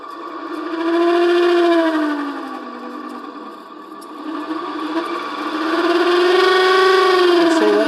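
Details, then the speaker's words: Mercedes 560SL (R107) reversible auxiliary fan bench-tested on an adjustable DC supply, starting to spin at about 2.5 V as the voltage is varied. The whir rises and falls with a rough, wavering whine underneath, indicating a worn fan motor bearing that needs replacing. "needs a new uh bearing"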